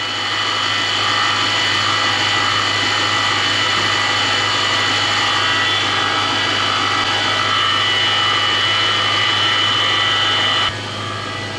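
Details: Lexus 3UZ-FE V8 (LS430/Celsior type) idling with a steady high whine and rapid whirring pulse, about four a second, traced with a stethoscope on rotating assemblies to a worn idler pulley bearing.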